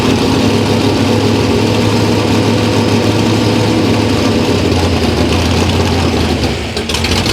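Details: Loud, lumpy V8 idle that stumbles and dips near the end: a cold 327 small-block Chevy (about 360 hp, smaller cam) running rough from a faulty carburetor while jets and float level are being adjusted.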